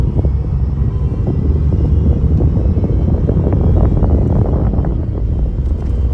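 Rough droning grind over the engine with scattered harsh bursts, not smooth; power steering is failing, cause not pinned down. Cause suspected, not confirmed.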